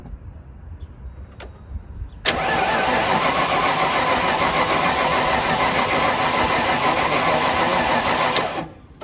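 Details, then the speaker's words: 1995 Ford Bronco parked for years, fuel tank out and fuel pump burned up: steady, even cranking about 3.5 turns per second for six seconds while a reading stays at 30–38. It never catches; crank, no start. "just staying at that 30 35 38 it ain't going to run for you it look like"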